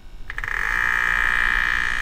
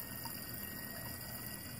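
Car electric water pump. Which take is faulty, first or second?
first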